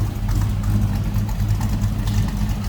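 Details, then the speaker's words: 1941 Chevrolet Coupe street rod, 350 V8, after cold start and coming off high idle: deep steady even exhaust rumble, mild exhaust, no knocks or misses; normal idle. "nothing over the top for exhaust, but just a nice little rumble coming out of that 350."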